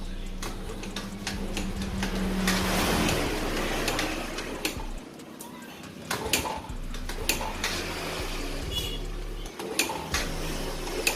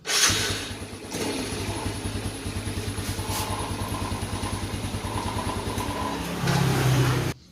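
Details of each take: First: Yamaha Vega Force underbone motorcycle that is hard to start and uses too much fuel: irregular kick-start strokes with a weak, uneven chuff and no catch. This suggests some loss of compression, though not a large loss. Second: Yamaha Vega Force after repairing a leaking valve seal that had caused lost compression and hard starting: electric starter catches at once, settles into an even, steady putt of about three beats a second, then switches off. Starts normally.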